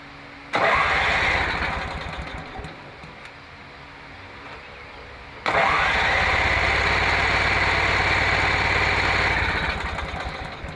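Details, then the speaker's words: Mower brought in as a no-start, weak starter, after welding a paint-can lid over its blown-out muffler: two long bursts of steady starter churning, about three or four turns a second, never catching; cranks but won't start, no gas in the tank. "Yeah, that ain't working. Ain't got no gas in it."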